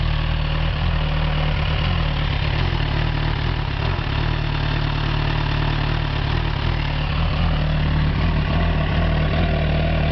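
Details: 2007 Suzuki GSX-R1000 with about 9k on the clock on premium fuel, idling rough with a deep, uneven beat that stumbles like a misfire; misfire also felt at 1,000–3,000 rpm. Unplugging each coil never stalled it; owner plans to replace spark plugs.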